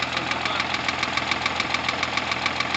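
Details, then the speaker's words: Rover 75 with 20K4F V6 at idle: sharp, quick metallic ticking about five to six taps a second; valves knocking from two metal debris pieces in cylinder five (rear head), one trapped under a valve seat, left from a prior camshaft job; fixed by replacing two valves. "Не-не-не, клапана хуярят. Не знаю, я не знаю какой цилиндр, но клапана хуярят."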